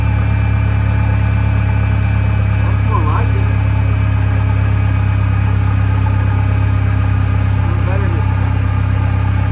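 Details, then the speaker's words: Truck with 2.8 engine after plugs installed: steady, even low rumble at idle with no misfire stumble or knocking; runs a lot smoother than before the plugs. Normal idle. "better runs better than what it did that's runs a lot smoother with the plugs in it"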